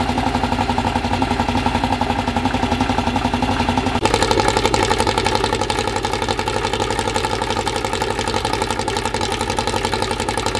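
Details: Freshly assembled 2054 engine on its first start after nearly a year of building, carbureted. A quick, even idle around 1200 rpm with a steady beat and light gear whir; the idle is kept high for break-in and may be lowered later. Normal fast idle.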